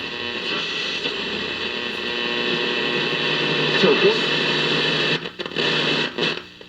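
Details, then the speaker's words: 1951 General Electric model 404 six-tube radio after replacing two filter capacitors: clear station audio over light hiss and faint hum. It receives properly using only a small lab antenna, no external antenna. "so it is receiving it is working so just those two capacitors have brought this thing to life and it's actually receiving"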